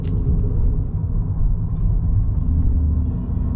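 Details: 2014 Ford Fusion hybrid driving, on and off throttle: loud deep rumbling drone from the front end; wheel bearings and CV joints checked okay, dealer diagnosed an internal transmission problem.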